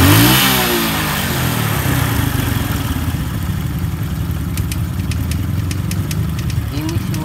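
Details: Honda Supra 125 after cylinder block and head reassembly, engine worn from overdue oil changes: even steady idle with a light regular tappet tick, no knocks or misses; healthy.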